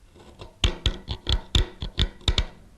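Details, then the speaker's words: Carving a ball and claw foot with a number eight gouge: sharp, uneven scraping chatter roughly every quarter second, caused by the back of the tool hitting the wood near the ankle; fix is switching to a number nine 10 mm spoon gouge. "you'll see down at this area we have some chattering that takes place hear that what's creating that is uh the back of the tool is hitting up at this point and uh we don't get a smooth transition into the ankle"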